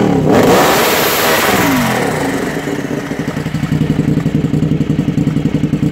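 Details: Suzuki TL1000 V-twin: sharp rev falling back to a lumpy, pulsing idle at about four beats a second, uneven burble of the engine running rich.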